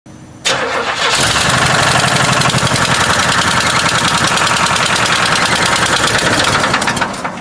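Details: Buick whose engine blew up, with the whole ignition system recently replaced, cranks, catches and runs with a heavy, steady bottom-end knock about three to four a second; likely a spun bearing needing a rebuild, plus an exhaust leak.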